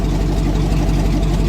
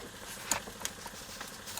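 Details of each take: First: Old GM truck with 6.0 L V8 and 4L80E, VATS anti-theft deleted with HP Tuners: deep, even V8 rumble with a steady low beat and no knocks or stumbles; starts and runs normally. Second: Old GM truck with 4L80E, after loosening a wire: starter cranks, engine catches and runs about a second then cuts out, twice; anti-theft PassLock/VATS fuel cutoff not functioning, later deleted with HP Tuners.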